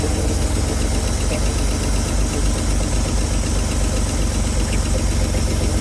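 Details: 1970 Chevrolet C-10 junkyard truck, fuel line run straight to the fuel pump from a freshly filled tank, before the vacuum leaks were fixed. Steady deep idle with a slightly lumpy low beat and no clear knock; runs, but not cleanly.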